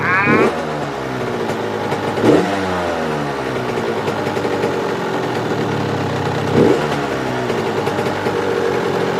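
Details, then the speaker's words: Suzuki RM85 two-stroke, first start-up after rebuild, warming up with motor mount bolts just tightened: buzzy idle with blips that sag slowly and wander; idle not settling, air screw and idle still to adjust. "the idle and everything still isn't right but i'm just gonna let it warm up a little bit and then i'm gonna let it cool down it's idling"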